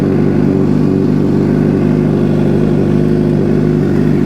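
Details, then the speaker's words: 2006 Suzuki GSX-R750 just after transmission replacement and motor reinstall, first start with oil still circulating. Steady, even four-cylinder idle, no knocking or gear rattle: normal idle. "Key on. All right. Ah, sounds good. We'll let the oil circulate a little bit."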